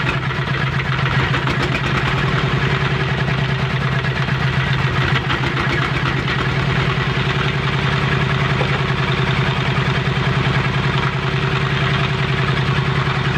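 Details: Single-cylinder diesel after repairing a coolant leak into the oil crankcase: steady, even chugging at about three and a half beats a second with no misses or knocks; healthy normal running.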